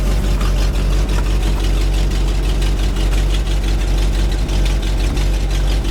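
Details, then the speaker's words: 1975 GMC C6000 with a 350 V8 and 5-speed, first start in 10 years: a deep idle with an uneven, stumbling beat, roughly three pulses a second. It is not pulling fuel well; an accelerator pump is suspected, and there is a slight exhaust leak. "really not pulling fuel very well"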